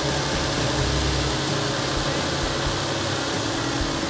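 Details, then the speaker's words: 2014 Nissan Frontier idling after the old 70,000-mile serpentine belt was replaced: a steady, even hum with no belt squeal or chirp. The engine is running normally. "Yep. Everything looks good. Sounds good."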